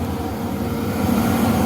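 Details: Van Wert VA-600 coal/oil boiler running on its oil burner after cleaning, with a new shut-off valve and filter, steady even roar with low rumble and no surging. Stack temperature about 460. Normal operation.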